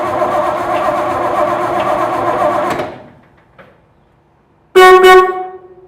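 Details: 1968 Chevy C10 parked about 15 to 16 years, battery in, oil full: a few seconds of engine noise, silence, then one loud, clear half-second horn blast; the horn and electrics work.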